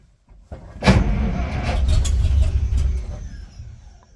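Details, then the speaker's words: 1939 International Harvester D2 truck with a newly fitted battery, on its second start with choke: the starter cranks briefly, the engine catches first try and runs on with a steady low rumble, a normal start. "And the first time I tried, the car just uh started the first time I I pushed the the starter"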